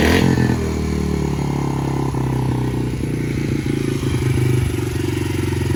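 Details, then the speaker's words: 2019 Yamaha TTR 50 that only ran on choke after a long warm-up: during carb mixture-screw adjustment the revs drop only partway after a blip and hang at a high steady idle, meaning still slightly lean; screw ended about 1.5–2 turns out. "kind of like a hanging idle, and that just means we're still a bit too lean. See how it's hanging?"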